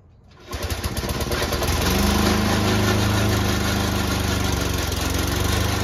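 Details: Old Toro Recycler lawn mower that still cuts well: starts within half a second into a loud, choppy run with harsh rattle from the drive system; noise later solved with WD40.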